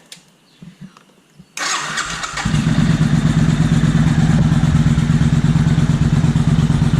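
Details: 2000 Suzuki Intruder 800 V-twin after carburetor cleaning and synchronization, slightly cooled down: starts and settles into an even, loping idle with steady pulses. It runs smooth and balanced; might need one more fine-tune.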